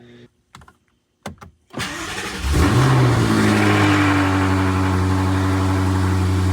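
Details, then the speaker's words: BMW F90 M5 first start after new spark plugs installed (battery reconnected, DME plugged in): brief crank, quick catch and rev flare, then smooth, even idle with no misses; healthy start. "startup so I'm not sure if you're going to be to hear me but start it up and we going let idle and that concludes the spark plug drop"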